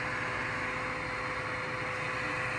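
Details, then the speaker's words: 3D printer auxiliary cooling fans set up in Klipper (hot end fan on GPIO 23), switched on from controls: steady even airy whoosh with faint constant hum, no ticking or rubbing; both fans spinning normally. "and we have cooling. Excellent."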